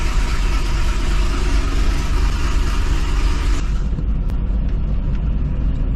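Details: 2005 Chevy Corvette V8 first fire-up after C7 starter, heat shield and 2-inch headers install, coil packs reconnected: deep, loud rumble holding strong then easing off, no knocks or ticks; normal running.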